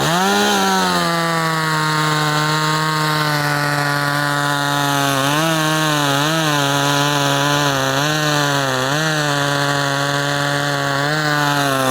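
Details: Poulan 2500 Farmhand (same as 2900), .325 chain replacing 3/8 low profile, cutting wood: strong steady two-stroke buzz dips briefly and recovers as the chain bites, clean and even. Normal running under load.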